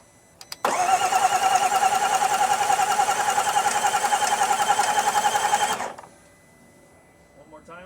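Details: 2018 Range Rover Velar from auction that became a crank no start after its battery died: the starter spins about five seconds with lumpy, uneven beats and never fires. Fuel and coil control were present; incorrect valve timing was the finding.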